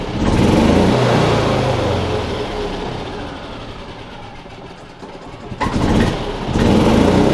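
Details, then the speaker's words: Yamaha G29 golf cart after replacing a faulty stop switch part, battery freshly charged, belt removed: electric fuel pump heard at key-on, then the engine fires straight away and revs cleanly with the throttle; a healthy start and run. "turn the key on you can hear that electric fuel pump going but now it starts every time now got that new part in there"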